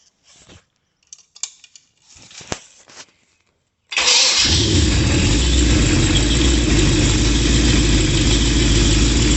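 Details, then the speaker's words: 1966 Chevy 396 two-bolt main, bored to 402, mild RV cam, Edelbrock Performer 2.0 intake and 750 CFM 1411 carb, run on a stand after break-in. Brief clatter, then a deep, steady lope with no knocks; healthy. "So we'll just start it up for a few minutes here and enjoy that wonderful noise that it makes of a big block."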